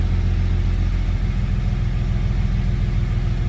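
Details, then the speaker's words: Jeep after repair: cylinder 3 had zero compression because a bolt that fell into the intake held an intake valve open, and the bolt was removed. Startup and idle are now low, steady and even, with no ticks or misses, nicer than before. "Oh my god, she sounds perfect. Dude, the startup is nicer than it was before."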